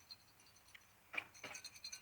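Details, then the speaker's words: Old light bulb from a shed, shaken by hand: a few faint glassy tinkles as something loose rattles inside, likely a broken filament; bad bulb. "Can you hear it? That one's bad."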